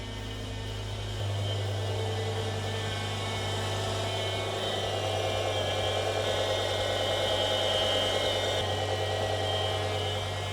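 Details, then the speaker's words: BMW E60 M5 V10 after rod bearing replacement, warming up toward 70°C coolant temperature with power steering fluid only partly filled: thin steady whine over the engine, rising and falling with revs, from the power steering pump, a known issue. "You can just hear the power steering pump whining. That is an issue we're having, but I think we can get to that in a"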